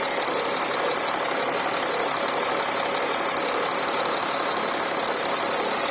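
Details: Porsche Cayenne Diesel, first start-up after coolant-leak repairs with new gaskets fitted: steady, even diesel clatter at idle with a fast, uniform ticking and no irregular knocks; it runs smoothly.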